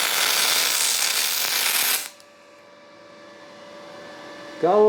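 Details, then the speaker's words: Firstess (Yeswelder) DP200 dual pulse MIG welder on aluminum, after raising feed roller pressure: steady, even crackling hiss for about two seconds, then a clean cutoff; smooth weld, a little too hot at the end. "But, uh, man, that made a pretty smooth weld."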